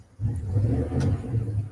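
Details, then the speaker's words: Petrol engine idling very slowly, deep rumble surging and sagging near stalling without really missing; a vacuum leak is suspected, not confirmed. "and as it starts to drop down not really missing just running real idling so slow it wants to stall"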